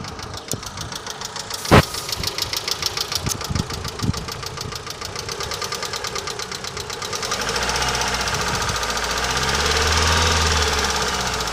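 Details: Mitsubishi Lancer 9 at idle: quick, even light ticking about three or four per second over the idle, fading under a rev rise; suspected noisy hydraulic lifters, not confirmed.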